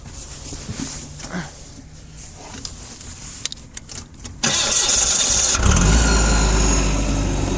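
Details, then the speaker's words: Komatsu FG30 3-ton forklift with Nissan engine: short lead-in, catches at once and settles into a steady, even idle without misfires, clean exhaust; starts without problems, normal cold start. "Запускается без проблем. Еще раз открою, дам послушать. Вот с этой стороны. Здесь видим, что двигатель работает ровно."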